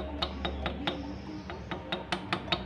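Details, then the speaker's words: Honda Grand motorcycle engine torn down after running with no oil: about a dozen sharp metallic clinks as the connecting rod is pulled and tapped, excessive big-end gap beyond normal play. "Dan untuk stang pistonnya, ini ada gap, nah ini ada gap. Memang untuk kondisi normal pun itu harus ada gap, tapi nggak sebesar ini gapnya teman-teman ya, nggak sebesar ini."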